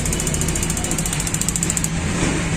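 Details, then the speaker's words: Gas geyser with sensors wired directly: rapid even ticking, about eleven per second for nearly two seconds, then stops cleanly as the sensor moves; igniter coil sparking normally, fault traced to the magnet not moving properly. "और दूसरी बात जो है जैसे ही मैं sensor को ऊपर नीचे कर रहा हूं तो हमारी डब्बी भी यह जो कॉइल है वो भी आवाज टक टक आवाज आ रही है"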